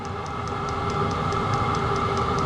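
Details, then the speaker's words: Chinese 12V diesel air heater, 5kW or 8kW, first run, drawing 35 W, warming up and settling at heat level one: steady fan whir with faint tones and a soft regular fuel-pump tick about four times a second; normal running. "it's starting to get warm really nice this thing is settling down at heat level one"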